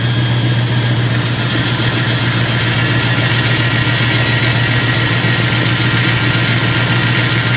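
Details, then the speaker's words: Dodge Ram 1500 after replacing power steering pump with snapped shaft, bleeding air while turning wheel lock to lock: steady idle, no whine or groan; steering working, nearly quiet. "sounds good he's turn his higher forth here I purging all the air of it right now there Ste the steering's working good"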